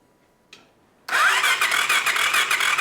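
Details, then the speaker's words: 50HP F150 Power Wheels build, starter cranking on its own after fixing messed-up solenoid wiring, spark plug pulled to check spark: a click, then fast, even whirring cranking, spinning freely with plug out; normal cranking. "And so we got it cranking on its own the way it's supposed to be."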